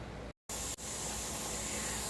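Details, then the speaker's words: Pressure canner (Ethel) canning taco meat, about 30 minutes in, before a 10-minute vent and the 10 psi weight: steady, even hiss of steam flowing freely from the vent with no sputter or pulsing; normal steam venting. "As you can hear, Ethel is steaming away. We have our steady stream of steam coming out of our steam vent."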